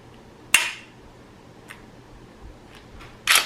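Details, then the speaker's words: Newly installed Timney Alpha Glock competition trigger, about 3 lb pull: one sharp, clean click on the break and a quick reset snap, no creak, scrape or binding; crisp, light, healthy break. "Very crisp, clean break. Very light pull."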